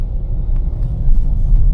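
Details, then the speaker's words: 2026 Nissan Magnite turbo petrol CVT pulling away gently in D from a 700–800 rpm idle: low, smooth rumble rising evenly. Stepped changes near 2000 rpm bring no jerk or surge; normal CVT acceleration. "देखो, इसने gear change भी कर लिया और आपको पता भी नहीं चला। आप RPM मीटर देखते रहना, जैसे ही 2000 के पास जाएगा तब गियर चेंज करेगी और फिर नीचे आएगी, बट हल्का सा भी जो है वो आपको झटका नहीं लगता अगर आप जेंटली जो है इसको एक्सेलेरेटर पैडल को प्रेस करते हो तो।"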